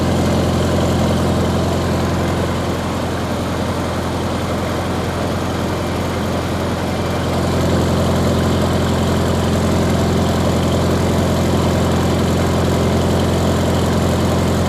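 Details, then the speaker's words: 1953 Farmall Cub, warmed up after sitting two years, revved to what the owner thinks is a little over 1800 rpm: even steady beat picking up speed midway, no knocks or misfires, not running too hot; normal warm idle. "so i think that's a little more than 1800 rpms when you do that sounds pretty good not running too hot"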